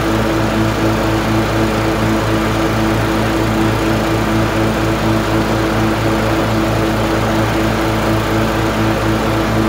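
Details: LT1040 riding mower after valve cover gasket reseal with silicone and pulley replacement: steady even single-cylinder drone with firm low beat, no misses or rattles, smoke gone; healthy.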